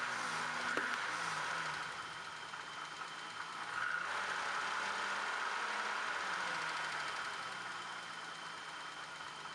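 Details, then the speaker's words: BMW M535i at idle before a valve adjustment: faint, quick ticking about four times a second over an uneven, stumbling idle; heavy misfire with a couple of valves ticking, which fade when revved. "You'll be able to hear it's got a pretty heavy misfire at idle, and a couple of the valves are definitely ticking. As I rev the engine up, and they kind of go away."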